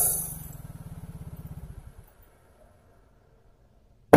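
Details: Yamaha Mio J fuel-injected scooter won't start; the fuel pump runs, the battery is good and a spark plug is fitted. The starter spins fast and light with no firing, suggesting lost compression, possibly from carbon lodged at the valve; oil is to be poured into the plug hole.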